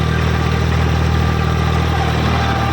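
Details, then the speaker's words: Eicher 557 diesel tractor at about 1600–1700 rpm in first gear. Even, steady drone with no knocks or misses; the faint hum is the dual clutch, and the engine is healthy. "ठीक है। इंशन का sound बिलकुल बढ़िया है। कोई दिक्कत नहीं है।"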